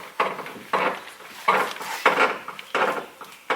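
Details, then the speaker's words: Nissan GT-R after new downpipes: second rattle found, mid-pipe hitting the brace; hollow metallic knocks about every half second with scraping between as the pipe is shaken against the brace. "Okay, well, with that, I just found another rattle noise where it might be hitting even more. Right here on the mid-pipe against this brace."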